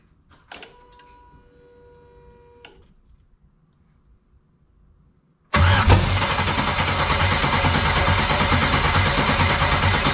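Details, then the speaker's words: 1999 Pontiac Firebird with LS swap (LM4 V8), first start attempt on makeshift fuel system with injectors feeding water bottles: steady even cranking about three turns a second, never fires; lack of fuel suspected. "janky I don't know about you fellas but I'm kind of thinking there should be fuel in"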